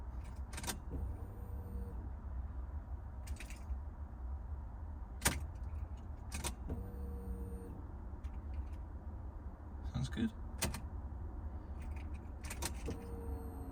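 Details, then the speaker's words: Alfa GTV with fuel pump assembly after motorway power loss, first test with key on: soft, very quiet low hum in short bursts between clicks while priming; pump priming normally. "oh that's really quiet wow i can hardly hear that we'll do a few primes even get some fuel into the system really quiet that is gosh"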